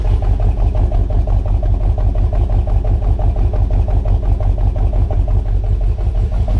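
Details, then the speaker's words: 1978 Ford F-150 with 460 V8 at idle, exhaust hose fitted: deep, lumpy stumble about three times a second, a bad misfire. "i get idea how rough it's running there there now we won't die of carbon monoxide poisoning i put the hose on it you guys can kind of see how it's running a little shitty noises you want"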